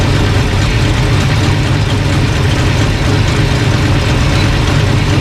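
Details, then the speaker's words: Engine idling smooth and settled with an even low rumble, no misses or knocks, after a bad distributor was identified as the problem all along; timing light hooked up, reading about 180–190. "running pretty good. I had a bad descriptor all along."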